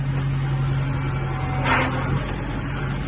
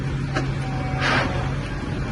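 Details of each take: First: Tractor with glide shift transmission, shuttling between reverse and forward: steady low drone with a brief gritty rushing burst on engagement; owner asked about grinding, deemed normal hydraulic clutch engagement. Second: Tractor with glide shift transmission, not hydraulic shuttle, shifted from dead stop into reverse without clutch; steady drone, sharp click and short rasping burst on engagement, possible gear grind, unclear if normal.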